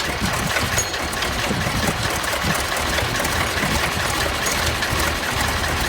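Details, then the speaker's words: Massey Ferguson 1155 tractor engine, revived from a seized motor, at its first start after fuel was primed to the filters: steady, even diesel clatter at idle with no misses or heavy knocks and good oil pressure. Normal idle. "That thing just sounds like it's ready to get don't sound too bad. I got good oil pressure."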